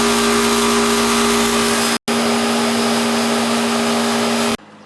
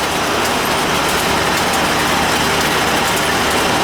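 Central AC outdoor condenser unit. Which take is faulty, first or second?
second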